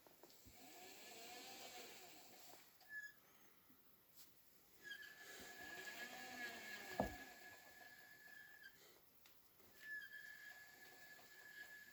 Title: Hotpoint Squeaky Noise Loaded Drum